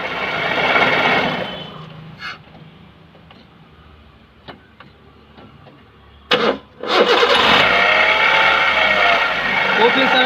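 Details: Hyundai Santro making a loud noise when started: rough whirring screech rising from the engine bay, from a worn power steering pump bearing.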